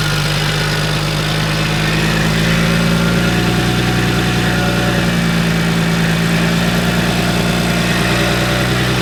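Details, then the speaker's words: Salvage-auction BMW 1M after front radiator support, intercooler and cooling work: steady even idle with smooth low pulse, no knocks or misses, first time left running to warm up, checking for overheating. "Well, yeah, let it run. Let it warm up. This is the first time we're actually gonna let it warm up."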